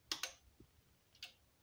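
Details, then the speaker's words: Aging stereo amplifier, as the speaker selector switches between channels A and B: sharp relay clicks, with channel A quieter and then randomly louder; the worn channel A speaker protection relay is almost broken and needs replacing. "now you can hear another channel it's a channel a it's not that loud as the be but now randomly it's starting to click louder so this is a clear sign that the relay which controls the channel a is uh well almost broken and we should change that"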